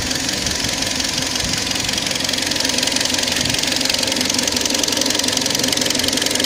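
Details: Kia Sportage 3 engine at idle: sharp, regular ticking knock about three to four per second riding on top of the idle. Engine knock, cause not identified.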